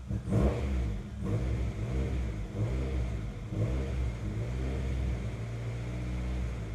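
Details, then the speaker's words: Honda CR-V, after new fuel pump and fuel filter fitted and codes cleared, no check engine light: uneven, lumpy idle stumbling every second or so with pulses dropping out; engine still misfiring, cause not clear. "It's still missing. I can hear it pretty bad."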